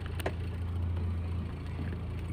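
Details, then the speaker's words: Toyota Starlet cold start in the morning: after rpm rose to about 1100, choke lowered, dropping to 1000; steady even hum, normal cold idle. "Lalu nanti, angkanya akan stabil di 800. Biasanya itu yang saya lakukan sebelum berangkat ."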